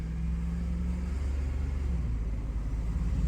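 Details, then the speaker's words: 2005 Chevy Silverado 2500 with a 6.0 V8 (4L80 or 4L65), driving on the road: deep drone with an uneven, lumpy beat and a random misfire code. It wants to stall when slowing; a fuel pressure regulator or injectors are suspected. "Ooh, see, once you start slowing down from driving, she wants to stall. So interesting. Maybe it needs a fuel pressure regulator, or maybe you got bad injectors."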